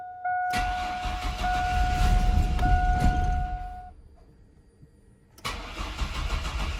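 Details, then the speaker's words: Chevrolet S10 unrun for 5 years, after a fuel tank swap, with fuel reaching the line: slow, even starter cranking for about three seconds and the engine never catches. Owners suspect a fuel injector plugged by bad ethanol fuel, unconfirmed. "all right so we think our issue is in here with our fuel injector we think it must be plugged up or something with the bad ethanol fuel"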